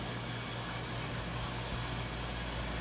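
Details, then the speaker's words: Front-load washer after drum bearing replacement, reusing the old seal: an even, steady whirring hum through the spin with no grinding or roar. Before the repair it was so loud you could hardly hear anything. "dude it just went through a spin and did I mean it sounds great before it got so loud you couldn't even hardly hear anything"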